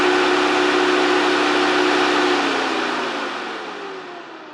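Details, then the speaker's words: Mercedes 560SL (R107) two-speed auxiliary fan bench-tested on a DC power supply around 11 V, 9.5 A: steady airy whirr with soft even hum, winding down smoothly as power drops; runs quiet and normal. "amp so it looks like it works great nice and quiet that's my guess is it probably runs normally"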